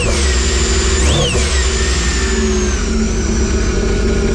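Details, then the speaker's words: Sea-Doo RXT-X after tune-up with fresh oil, filter and plugs, shorty water box muffler with resonator still fitted: even, smooth engine note with one quick throttle blip and muted low exhaust; runs cleanly, exhaust very quiet. "know they're still quiet that resonator really makes a big difference I mean to me it's quite is way too quiet way too quiet so"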